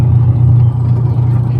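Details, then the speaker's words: 10-year-old washing machine, noisy from a broken gear, after an overhaul that replaced the gearbox. The spin is a smooth, steady low hum with no grinding or scraping; the earlier rattle is gone. "tahimik na ulit maganda na ulit ang Menor tahimik na ulit maganda ang idle automatic idle yan oh okay Ayos na Nawala na yung garalgal garalgal ba"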